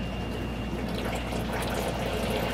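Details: Reynolds Tech wet bench cascade overflow rinse tank filling with DI city water, resistivity at 0 against a 1.6 set point, overflow going to the main drain until it is reached; continuous even splashing and trickling over a faint steady tone, no surging; normal filling.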